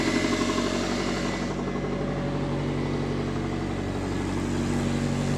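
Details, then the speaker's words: 1999 Subaru, first start after engine install, assembly lube burning off: loud, raspy idle with fast, uneven puffing chuff from a major exhaust leak, located at the centre section with two clamps on it. "oh there's a little smoke it definitely has an exhaust leak oh yeah major exhaust leak i know where it's at"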